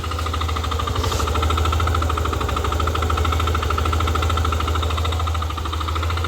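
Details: Yamaha Aerox v2 scooter at idle: low steady running with an uneven knocking about three times a second, an abnormal engine noise.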